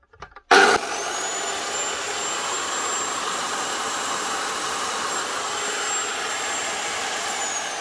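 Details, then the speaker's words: Old Black and Decker HD 1000 circular saw, made in England, after repair with new lead, cleaned sticky switch and new blade: instant spin-up to a steady high whine that holds evenly, then winds down; runs smoothly. "not a baller this might be old but it still works fine"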